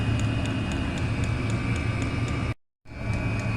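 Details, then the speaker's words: Chinese diesel heater running on kerosene, cover off: sharp, even ticks about four a second over a steady fan roar, as the fuel dosing pump pulses fuel. "so we've just took the cover off and there's a little pum pulsing away tick tick tick tick pumping the diesel"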